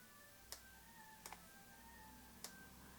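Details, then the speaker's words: Nikon AF-S 70-300mm f/4.5-5.6G ED VR lens with a VR fault: after resetting at 70mm by switching the camera off and on, faint sharp clicks about every second show the VR working again. Past 100mm the VR cuts out. "that little cling, click, cling, click, that's the VR working again. So the VR back to working again."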